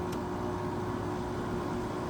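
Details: 1999 Whirlpool 5000 BTU window air conditioner ACM052XH1 on medium fan, possibly low on charge: steady airy rush with faint constant buzz underneath. Fan motor buzz.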